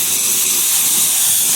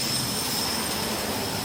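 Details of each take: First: Sprinkler system winterizing blowout with a 22-gallon compressor at about 115 psi: a loud, steady hiss of compressed air with fine spitting spray as residual water and mist clear from the sprinkler head. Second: Sprinkler blowout using a 22-gallon compressor at about 115 psi, at the last head by the curb after a second 5-second blast: steady hiss of rushing air with only a few last drops. The zone is blown clear of water.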